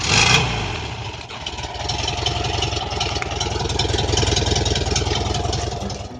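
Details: 1973 VW Bus air-cooled engine with new exhaust, after starter wiring fix: steady, even chug with a regular exhaust beat, no misses or knocks; engine running healthy.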